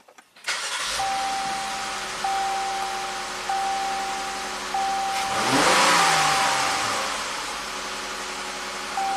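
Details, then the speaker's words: 2019 Jeep Cherokee V6 at 115,000 miles with code P0305, unfixed by six new injectors, idling with a pressure transducer in cylinder 5: a faint periodic stumble every second or so. Cyclical cylinder 5 misfire at idle only, smooth then rough. "And this is exactly what we heard on the exhaust pipe. Smooth and then insane."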